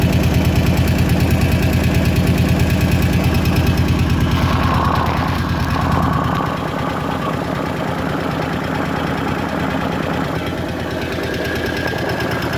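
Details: Kawasaki KVF 750 Brute Force ATV V-twin idling: steady quick tick about three per second over the thump, settling as revs drop, from the top end of the engine; top-end ticking noise.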